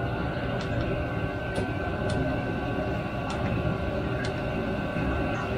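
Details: Cheap eBay Chinese 5 kW diesel air heater, newly installed, warming up, unit temperature at 90°C and climbing, ambient 19°C: steady whirring fan hum, constant pitch, no surging or clatter. Normal running.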